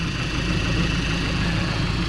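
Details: VW Golf with freshly fitted secondhand engine idling while warming up, coolant bleeding until the thermostat opens: smooth, even idle with a low steady drone and no knocks or misses; healthy.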